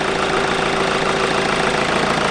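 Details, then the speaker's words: Mk V VW Golf GT TDI idling after repairs with an engine fault light on: a steady diesel idle with a sharp puffing hiss each firing pulse. Exhaust leaks near the turbo; owner suspects a missing bolt or the S-bend pipe to the EGR. "I'm going to let it sit and it's blowing from somewhere. Can you hear like a... I'm going to rev it a tiny bit."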